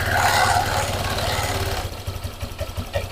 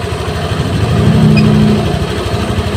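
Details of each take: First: Honda Vario 150 injected scooter, high fuel use and fouled plugs, idling after swapping the original injector back: idle hunts and wavers, then blips up sharply; erratic rich idle, injector ruled out, faulty throttle position sensor later found. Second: Honda Vario 150 injected scooter restarted after scanner work: steady, slightly fast warm-up idle with even low burble and no stumbles; running normally.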